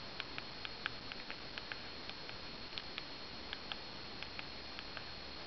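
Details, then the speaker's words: 2700 phone keypad, checked for reported creaking: crisp evenly spaced light clicks about three per second as number keys are pressed, no creak or rattle; normal keypad clicks. "я хочу показать как я пользуюсь просто номера и цифры вот нажимая клавиши я думаю слышно"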